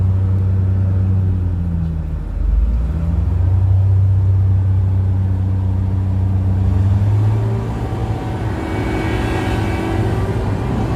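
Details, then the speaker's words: Komatsu PC1250-8R excavator diesel, hydraulic pump noise when moving boom or arm (three pumps active), none during travel or swing: heavy drone with low pulsing hum swelling as boom moves; noisy hydraulic pump under load suspected, not confirmed. "Wenn wir "Boom" bewegen, gibt es ein Geräusch. Aber wann Wir fahren Zum Beispiel ist die linke Seite der Fahrt mit der hinteren Pumpe aktiv, es gibt keine Geräusche."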